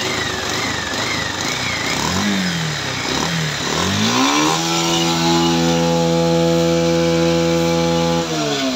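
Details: Bajaj Pulsar 150 UG5, 2019 model: revs hunt and waver unevenly then settle to a flat rough tone that won't climb cleanly; found a local copy CDI with bypassed high/low spark plug lines.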